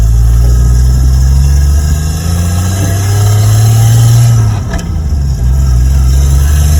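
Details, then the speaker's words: RB25-engined Nissan Cefiro on a test drive after fitting a new LSD diff in place of the old locked diff: low engine drone rises and settles through a tight turn with no chirp, binding or vibration. Diff working smoothly. "Turn tightly now, so good. Alright, so just got back from giving a little test drive. Everything seems fine, no weird vibrations or anything."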